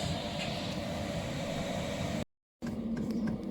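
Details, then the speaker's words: Diesel heater newly installed in back of L200 pickup, just started after priming: quiet, steady whirring fan hum with low rumble, even pitch, speeding up as heat comes out; running normally. "so I press the power button, and now the heater started up. You can see it's whirring in there. You probably can't hear it very well. It's real quiet though. Sound. Oh, she's sped up a bit now."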